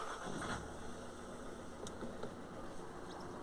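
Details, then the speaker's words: 2014 Citroen C4 Picasso 1.6 diesel that wouldn't start without priming after running dry; filter head bypassed with hoses looped, unprimed, jump pack used. Quick catch, no long crank, steady rumble; proves filter head faulty. "so it works actually started straight away no crank time no real crank time is started straight away"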